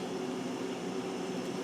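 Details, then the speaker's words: Household refrigerator that was warm, not cooling and ticking, after a new compressor start relay was fitted and the old overload switch kept: relay clicks on and off as it should; steady low hum with faint fan whoosh, no ticking; compressor running normally. "I've got the new relay in and I've got the new overloads or the old overload switch in they said I didn't need to replace that I may get a new one anyway and just put it in the relay seems to be clicking on and off the way it's supposed to"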